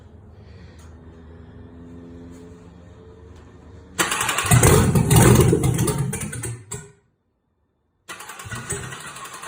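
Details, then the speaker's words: 1962 Chevy C10 with 5.3 LS swap, redone cams and 4L60E, very first start after the built engine sat almost three years on a stand; starter cranks about four seconds, catches with a loud rough roar, cuts out, refires; normal first start. "it's the very first start of this motor this motor's been sitting built for like almost three years on a stand"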